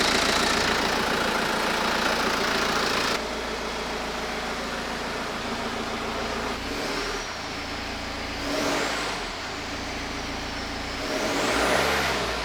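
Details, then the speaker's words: BMW E92 320d after timing chain, rod bearing and head overhaul and new engine ground cable, first start: steady even diesel clatter at idle with clean rev blips; starts super nice, engine healthy. "so I cleaned up a bit and Moment of Truth will this car drive I mean it's start super nice though"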